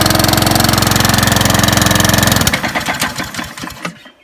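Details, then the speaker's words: New Honda HRD536C mower with GCV engine, first start: fast, even, high-pitched firing buzz, then cuts out and sputters down. Over-revving from governor spring set too high; spring moved and adjusted to fix it. "And yeah, so you saw me adjust the spring on the governor. Oh, you had to adjust it straight away. That did need to be done because it's just, it was revving too, so I could hear that straight away."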